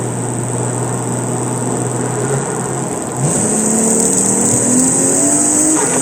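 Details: Toyota Mark II 1JZ-GT during engine calibration: the knock sensor output is amplified by a knock amp, giving rising pinging tones that climb with revs over steady hiss. This is detonation being evaluated.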